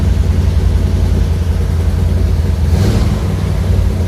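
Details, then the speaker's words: Old carbureted truck with a fuel delivery problem, running on the electric fuel pump with part choke: it rumbles along on its own at a low, slightly lumpy idle without stalling. Normal idle. "Look at that. got a running truck."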